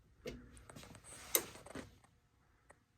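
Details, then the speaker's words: HVAC air handler on a no-cool call with the indoor coil frozen, replaced universal blower motor: one soft relay click, then no blower spin-up; control board not powering the motor. "So yeah, there's no blower. This blower motor has been replaced."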